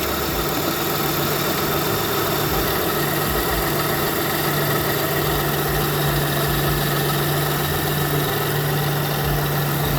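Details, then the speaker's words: Lexus ES330 idling after power steering and alternator belt replacement: smooth, even idle with steady low hum, no belt squeal or chirp; harmonic balancer moving fine, engine healthy. "No squealing. That's the start of a good situation. Harmonic balance is moving fine."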